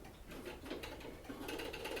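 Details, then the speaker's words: 1840s Clark Gilbert or circa-1854 Seth Thomas OG clock movement, seized so the hand can't move freely: soft fast whirring buzz with rapid light ticks instead of a slow even beat; movement gummed with dirt, needs cleaning and lubrication. "this movement is seized up if you move this hand you can't you can't really move it without damaging the hand it kind of makes a tick if"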